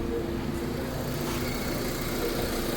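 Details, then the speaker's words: 2005 Honda Civic, brought in for misfire, jerking, poor pickup and stalling in reverse. After fuel pump pressure (previously 22) and a broken solenoid wire were addressed, it has a quiet, even, stable idle, steady with the fan and AC on. Normal idle. "Engine sound है। कोई God नहीं है। जी। माशा्लाह बेहतरीन of हो गया जी ले जी out fan हो गया माशा्लाह बिलकुल स्टेबल है बिलकुल स्टेबल है"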